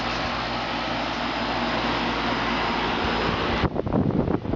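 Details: 2003 Carrier 3.5-ton condenser, test run after a new fan motor and capacitor: a steady, even fan whoosh with a low motor hum and no ticking or scraping; the condenser fan runs smooth and healthy.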